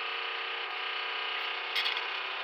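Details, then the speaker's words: Newly installed Carter lift pump with Leroy Diesel upgrade harness (wait-to-start prime, manual override) on a 1993 GM turbo diesel, DB2 mechanical injection, which kept running out of fuel: steady even whirring hiss while priming, no pulsing; pump running normally. "Got my power hooked in. It was real easy to install. In fact, I can hear the pump right now."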